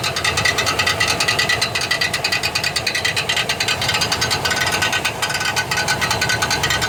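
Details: 1999 Chevrolet Silverado 1500 4.8 4WD: harsh, uneven metallic grinding and rattling bursts while cranking; bad starter, Bendix drive shaft faulty and bouncing off the flywheel instead of engaging cleanly.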